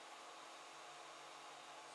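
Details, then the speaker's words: A soft, even airy hiss barely above the room, with no rattle or buzz. A Silent 8 80 mm fan, replacing a noisy AMD CPU fan on a 3D printer's 24 V-to-12 V buck converter heatsink, runs quietly and normally. "I think you can compare that with the noise earlier the Clos the lid can get around the tripod slightly less noise"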